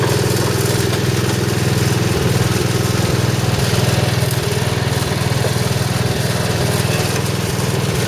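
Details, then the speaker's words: Snow blower engine running at steady idle with fast rough rattle about four beats a second: the old worn auger drive belt chattering, clunking into empty space; replacement belt later ran smooth. "that old belt that thing chattered chattered a lot with that it was running the way that is pushing this back so it was getting all that space going clunk clunk clunk"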